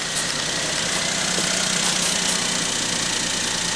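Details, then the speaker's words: Nissan Pixo with a harsh squeal on cold starts, cold start after jump-start: smooth, even idle, no squeal even with clutch pressed; squeak gone, bearing replacement recommended. "що скрипу нема щоб ви поняли стартувало воно зі скрипом і таким знаєте визгучим скрипом що аж на нерви діє зараз начебто тишина і порядок"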